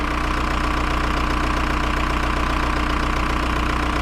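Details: VW Jetta TDI diesel, bought non-running with no compression and now restarted, idling: lumpy uneven beat about 150 pulses a minute; air bubbles in the fuel lines make it run rough, rough idle from air in fuel.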